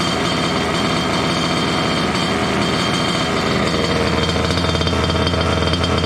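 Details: Water-cooled two-stroke Goped scooter, new electric coolant pump: fast buzzy running held high and even; lean from an air leak at the unplugged pulse line of the old pump; plugging it made idle drop.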